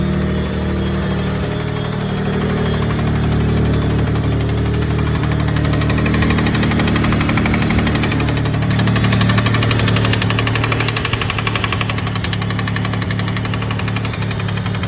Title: 3000GT VR4 transmission knock!